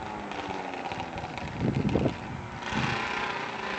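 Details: Yamaha Banshee twin two-stroke, quick run after rebuild: brief crisp revs rise and fall cleanly, picking up and settling without bogging; normal healthy running.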